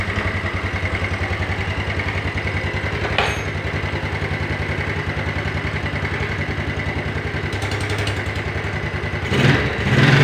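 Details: Yamaha Mio Sporty scooter after a rebuild with a 200 oversize piston and worn camshaft and rockers repaired without replacement. Steady idle with a faint light ticking knock, about three per second. The mechanic attributes the slight internal knock to a slightly worn connecting rod.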